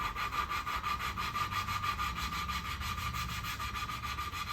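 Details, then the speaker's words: Saab 900 Turbo engine rebuild, lapping valve into seat with gritty compound: scratchy back-and-forth rubbing about three strokes a second, coarse sound turning smoother and quieter as a good seat forms; compound doing its job. "you hear the audio the difference too now it doesn't sound this coarse it's a bit more smooth though yeah it means you're getting a good seat on there and the compound is doing its job"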